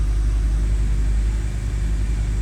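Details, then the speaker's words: BMW E90 325i N52 after fitting six new spark plugs, warming up: low deep idle rumble with a slight uneven stumble; misfire still present but less violent than before. "So as you guys can see, the car is still misfiring. However, the misfire is not as violent as before."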